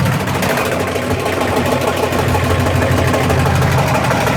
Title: My Washing Machine Making a loud banging noise.